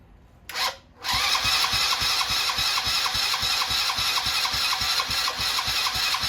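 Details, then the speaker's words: 70cc Chinese quad single-cylinder, cold start on full choke with fuel through brittle line and rinsed tank: uneven lumpy popping at a fast rate, faltering as if about to stall; struggling to keep running after cold start. "Sounds like she's dying on me. Yeah, I think we're dying over here."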